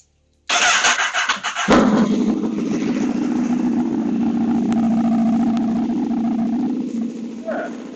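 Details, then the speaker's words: PPE delivery motorcycle after fitting exhaust baffles, catalytic converter removed: starter whir, engine catches and settles into a steady, subdued idle, noticeably quieter than before. "That's noticeably quieter than it used to be. I don't know if you can hear me at all."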